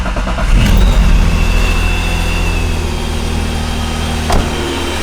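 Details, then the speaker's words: Supercharged BMW E36 with standalone ECU, last run before removing the supercharger kit: engine catches and revs smoothly, settles to an even idle with clean supercharger whine; healthy. "Now I'm definitely going to miss this noise, but I'm also not."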